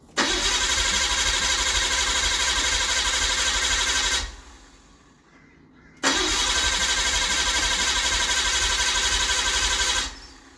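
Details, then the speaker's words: Barn-find Nissan R32: two bursts of even cranking at about four beats a second with fuel pump whine, but the engine never catches; owner suspects the igniter or a badly deteriorated coil pack loom, not confirmed. "guys we came so close yet so far we couldn't get it uh we couldn't get it firing turns over um the fuel pump you can hear the whine in it but for some reason it's just not turning over"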